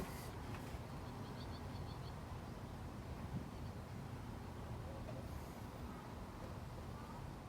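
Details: An older Craftsman lawnmower with a Briggs and Stratton engine and the carburetor built into the metal tank idles steadily and evenly with no misses or surging. This is after the carburetor was cleaned, the oil topped up and the spark plug changed, and it runs healthy.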